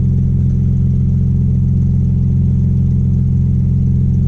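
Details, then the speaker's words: Audi B5 S4 after fitting a new 3-bar MAP sensor and recalibrated tune, engine still cold: steady, even rumble rising smoothly, no knocks or stumbles, a few little pops; exhaust leak underneath; revs normally. "But yeah, it seems to rev normal."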